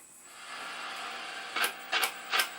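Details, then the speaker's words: Zenith Z1510J "Bug Eye" TV under restoration, powered up, no vertical; faint hiss with sharp crackling snaps about every 0.4 seconds coming from the high voltage cage. High voltage arcing. "so I'm hearing some horrible arcing uh something it's coming right from the high voltage cage so I got to check that out"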